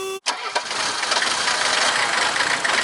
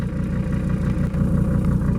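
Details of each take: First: 1979/80 Mercedes-Benz 300 SD scrapyard diesel, first start after long sitting: catches and clatters unevenly with stumbles, "farting and kicking"; rough running as fuel primes. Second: 1979 or 1980 Mercedes-Benz 300 SD diesel, scrapyard car, after fuel filter and oil change: even idle with a low chug and some clatter, no missing, though very vibratory (owner wonders about bad engine mounts); normal idle.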